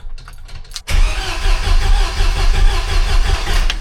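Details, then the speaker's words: Used 2.5L engine, sold as low-mile, just installed in a Jeep Wrangler YJ, fresh VR1 10W30 oil, ignition coil unplugged to build oil and fuel pressure; starter spins it at a steady even beat without firing. "This way we can turn the motor over without it firing to build some oil pressure and build some fuel pressure too."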